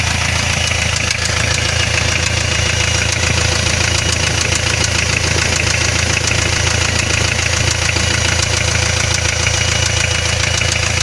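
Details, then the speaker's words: Hyundai 2.5 diesel (TDI) knocking after turbocharger failure: hard regular metallic knock over rough idle; no knock when cold, light knock develops like loose valve clearance; pan removal found spun bearing shells on cylinder 3 connecting rod. "начинается появляться легкий стук как будто стучит клапан с увеличенным зазором в итоге снял поддон в шатуне 3 го цилиндра провернуло вкладыши"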